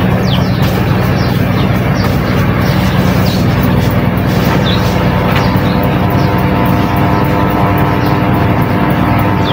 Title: Noisy humming panasonic industrial ceiling fan F-MY153